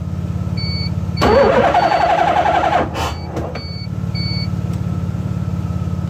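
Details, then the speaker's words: LH6 5.3 LS in a 1986 RX7 on a Holley Terminator X (24x/1x); cam sensor wires already flipped with no change. Steady cranking with one brief almost-catch, then no start. Owner suspects the 4-gauge starter power wire is too small. "it's it's right there at wanting to start see it just doesn't"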